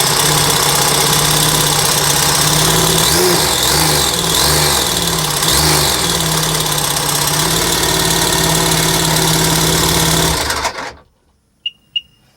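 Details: Seadoo RXT 2008 jet ski with 215 engine runs steadily with a regular ticking about four per second over it, then shuts down; abnormal engine noise, cause not pinned down.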